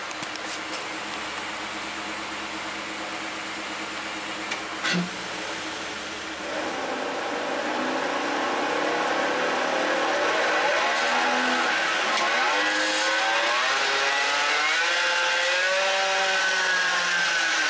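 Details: 2017 Ford F-150 5.0 V8, 6-speed automatic, 8.8 rear differential, first noticed while towing a camper: wavering whine rising and falling with road speed over tyre noise; failed pinion bearing race, suspected casting flaw.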